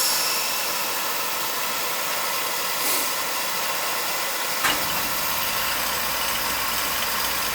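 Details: Beckett oil burner that had no heat after the outdoor oil tank ran low, with nozzle and filter possibly changed earlier: steady fan rush, then a soft, deep rumble at about 4.5 s as the burner lights and holds a flame.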